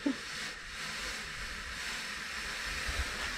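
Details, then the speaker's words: Buried sprinkler manifold pipework: steady airy hiss with no rhythm, air escaping at a threaded pipe fitting that was never tightened. "so dad had forgotten to tighten this one i could hear the air coming"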